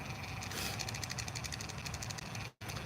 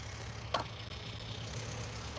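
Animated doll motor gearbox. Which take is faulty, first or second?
first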